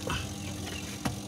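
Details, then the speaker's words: Sharp twin-tub washing machine spin dryer that won't turn: a steady low electrical hum with no rotation, and the brake lever is not stuck; diagnosed as a failed motor capacitor, fixed by replacing it with a 3 µF 450 VAC capacitor. "ternyata tidak ya Sahabat tidak ada perputaran cuma terdengar suara dengung ya sahabat"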